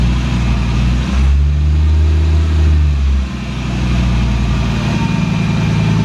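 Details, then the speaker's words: Skoda Octavia vRS with a swapped Audi RS3 DAZA engine, started after its mechatronics unit was refitted: loud, deep booming exhaust that swells on a throttle blip, then drops to a rough idle. Only a decat downpipe is fitted, with no catalytic converter or resonator. "yeah that's the reason it was very loud here's my uh Decat downpipe that is the only thing on the engine exhaust wise so absolutely no resonator whatsoever"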